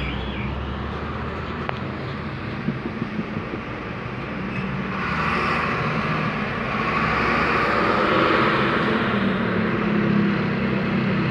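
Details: Toyota Fit automatic that would not crank, sometimes when hot; a loose ignition switch socket was found and fixed. Afterwards it runs at an even, steady, smooth idle with no knocks or misses; normal idle.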